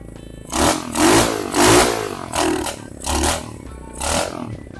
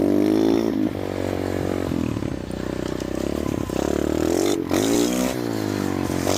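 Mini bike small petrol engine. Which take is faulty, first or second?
first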